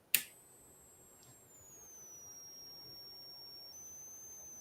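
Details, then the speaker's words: Sharp click, then a thin steady high-pitched squeal near the top of hearing, dropping slightly in pitch, as soon as a light is put next to a PVC-pipe-and-tin-foil one-wire energy test rig; source unclear. "there's a a high pitch squeal as soon as I put the light next to it"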